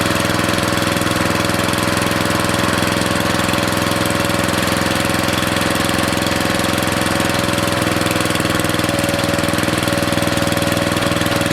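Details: Briggs & Stratton 13.5 cast-iron-sleeve riding mower engine, rerun with air filter back on after suspected oil in cylinder from engine tilted on its side; fast steady single-cylinder thumping, no misses or knocking, smoke burning off; good running.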